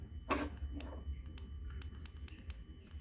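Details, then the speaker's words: 2013 Yamaha R6 that shut off while riding downhill and arrived with a dead battery; ignition on, fuel pump primes, starter button pressed. Faint repeated sharp clicks about twice a second and no cranking: the solenoid engages but the engine is seized. "so you could hear that the that the selenoid is trying to do its job and contact to start the bike but it's not happening"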